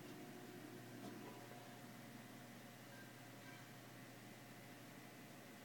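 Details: PC after putting the keys back on the case: only a soft steady fan hum, the earlier case vibration hum is gone and the machine runs fine.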